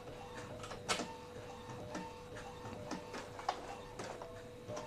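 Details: Used Epson L15160 inkjet printer printing after timing belt replacement: a quiet, even run of soft carriage ticks, paper-feed whirs and a faint hum, with no grinding or slipping; operation is normal.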